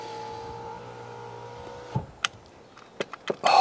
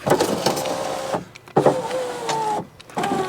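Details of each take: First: 2014 Fiat 500L, after reconnecting wiring while chasing a driver's door window fault: left electric window runs with a smooth, steady motor hum for about two seconds, ending with a light clunk; normal, while the right window doesn't work. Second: 2014 Fiat 500L salvage car, driver's door electric window tested after reconnecting the battery: motor runs in short bursts with a rough scraping drag; cause unconfirmed.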